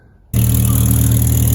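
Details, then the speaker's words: Ford Capri, exhaust manifold crack repair, with an old sleeve and the inner of a new sleeve joined: the engine holds a steady low drone with a faint ticking puff, a small exhaust leak at the sleeve joint, to be sealed with exhaust filler. "just a little leak here little leak right [Music] there"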